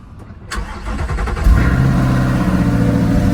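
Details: Natural gas (CNG) powered Honda Civic, ex-AT&T: short crank, then it catches cleanly and settles straight into a steady, even idle; a normal, healthy start.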